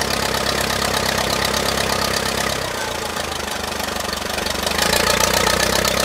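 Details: 1959 Case 300B (311B) tractor, 4-cylinder gas engine, parked outside 10 years, after filing the points: runs on its own with an uneven idle putter that dips and recovers, then picks up and keeps running.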